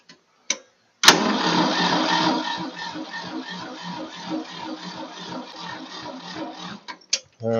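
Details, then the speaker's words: 1966 Ford 3000 tractor after a carburetor rebuild: the starter churns unevenly at about two or three turns a second without catching. The carburetor bowl is dry, and it is being cranked so the fuel pump refills it. "now there's no fuel in the carburetor so so even though I turn the fuel on this has a fuel pump so we'll turn the fuel on I'll get up on here and we crank it a little to get fuel up"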